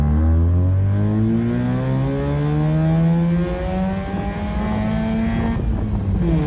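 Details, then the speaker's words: Austin-Healey Sprite on a test drive after fitting a welded Flowmaster Hush Power muffler, camera in cabin: smooth engine drone climbing through the gears, low mellow deeper exhaust note, no knocks or rattles; healthy. "But so far, I'm rather liking it. It's got a little deeper tone."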